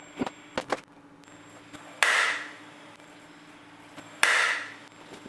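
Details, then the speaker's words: Robot arm with added plasma torch; sharp irregular clicks and louder snaps as the arm moves, suspected caused by a new zip tie clipping the limit switch. "and you see how close it is to the limit switch, I might actually be clipping on that, and that's what's giving me the problem."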